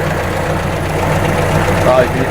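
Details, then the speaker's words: Atomic 4 marine engine running warm after repair with 40–45 psi oil pressure; smooth, even low drone with no misses or knocks, good throttle response, though the manifold gasket is still leaking badly; normal running. "she's leaking all over the place but sounds good nicely response that is makes me happy this makes me happy"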